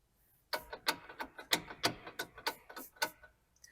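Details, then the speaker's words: Worn stabilizer (sway) bar end link, vehicle lifted with weight off, bar pried with light force: sharp uneven clunks and clicks, about three a second, each time the bar is levered. It would sound louder over bumps under vehicle weight. "now imagine the whole weight of the vehicle bouncing around as you go over bumps that sound becomes even more pronounced and more obnoxious"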